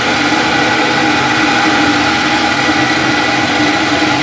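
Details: Maytag WU482 dishwasher, after fitting new lubricated belt on cleaned pulleys: smooth even hum, steady mid-pitched whir, no squeal or grinding; runs normally.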